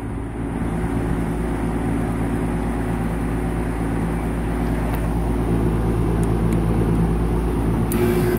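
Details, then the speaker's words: Compressor in a duplex AC unit, tried at the disconnect before fitting a start capacitor and potential relay: heavy steady low hum with no rise in speed, repeated start attempts straining but never turning over; locked rotor, compressor locked up. "She's rotor's locked. No good. No good. That compressor is locked up."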